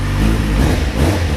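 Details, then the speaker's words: Kawasaki Z750 after repair of exhaust header rings and welding the header inlets: deep even engine note rising smoothly with revs; the earlier rod-knock-like banging noise is gone. "vamos ver o resultado aí ó a beleza mora já não faz aquela barulheira e batendo dá aquela impressão de estar batendo pe ela sei lá o que"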